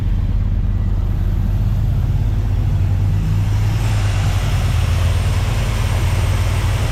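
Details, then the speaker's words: 1973 Dodge W200 with reportedly new engine, carbureted, fresh gas tank and battery: fires right up into a steady, even, deep V8 idle with no stumble, miss or knock. "man that idle is good gas tank battery fired right up heck yeah all right she's idling"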